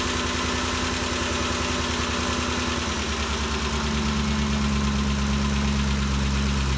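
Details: 2013 Ford Expedition after valvetrain repair for loud ticking (suspected cam phaser or timing chain): steady, even idle with a smooth low hum and no valvetrain ticking; noise gone, engine healthy.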